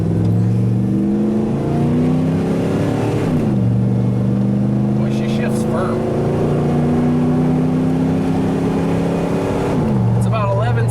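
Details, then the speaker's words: OBS Ford F250 460 EFI on big mud tires, rolling 0-60 run before throttle body upgrade, overdrive off, timing verified at 10°: revs climb through two upshifts, exhaust note flattening after each; feels down on power, cause uncertain. "because this thing just doesn't seem like it has the power that it should it does have big old mud tires on it"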